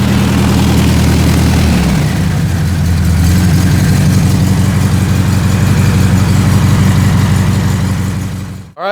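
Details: 1967 VW Beetle air-cooled flat-four after misfire repair, spark plugs cleaned and regapped and refitted: steady, even low chugging idle with no obvious stumbles or skips.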